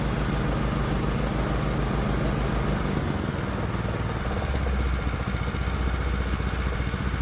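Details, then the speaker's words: Predator 212 Hemi engine on a test bench after an adjustable carburetor swap with new throttle linkage: low, even putter holding steady with no hunting or misses, a stable idle. "All right, a nice stable idle."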